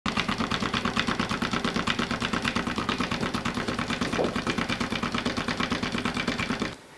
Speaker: this is a self-actuating hydraulic ram and what it'll do is it'll take water from this tank and it'll move it all the way up here just with the force of the water itself the secret behind it is water hammer